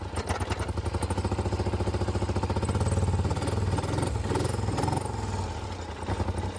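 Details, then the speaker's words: Polaris Sportsman (850 per title, 570 per speech), customer complaint of a skip, before repair: uneven, stumbling idle that lopes and drops beats, sagging toward the end; misfire, seems to shut off in high range, fixed with new plugs and wires. "The customer says it it's not running very well. It's got a skip to it. So, let's see what's going on. Mhm. Definitely got a little misfire."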